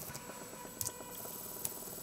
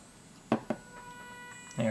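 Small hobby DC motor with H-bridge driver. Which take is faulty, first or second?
second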